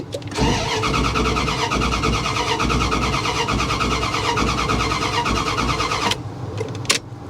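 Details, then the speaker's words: Low-mileage salvage-auction vehicle started by holding an ignition ground wire in place and using a screwdriver. Even starter cranking at about three beats a second for six seconds that never catches. It shows completely out of gas: crank, no start. "oh no girl she's not gonna run because she's got no gas none"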